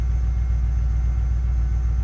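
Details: 2006 BMW X5 4.4 N62 V8 that cranked but wouldn't start after running nearly dry; fuel pump suspected: low, even rumble with no misses or knocks as it fires and settles into a smooth steady run.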